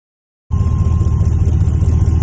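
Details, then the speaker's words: Supercharged LT4 swap in an El Camino after its first run-up: after a short silence, a steady, deep rumble, even under light driving, no knocks or shakes. Oil pressure and water temp good, no leaks. Normal running. "you know we just kind of let it run for a little bit everything was good no leaks um you know like i said that go good oil pressure um water temp was good um nothing out of the ordinary"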